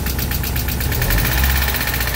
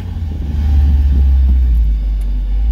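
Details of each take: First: Mazda Miata after manual conversion, jump-started, idling with a fast even ticking clatter over a low rumble; owner unsure whether release bearing or exhaust, asks if there's oil in it. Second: Mazda Miata just converted to manual, pulling away while driving; deep even throaty exhaust rumble with no rasp, knock or drone, oil pressure and temps fine; healthy exhaust note.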